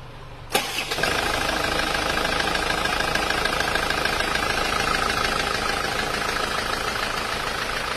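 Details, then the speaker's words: Isuzu Panther Grand Touring diesel after a recent engine rebuild, compared with a smooth older Panther: it starts, then runs a harsh idle with a fast, steady knock on top. Rough knocking idle, suspected to come from the pistons; the engine was taken down again. "suaranya seperti itu Jadi bisa dipahami ya antara bedanya antara yang normal halus seperti yang penter kotak yang belum saya turunkan yang lainnya itu halus tapi yang kapsul ini yang Grand Touring ini suaranya malah kasar seperti itu"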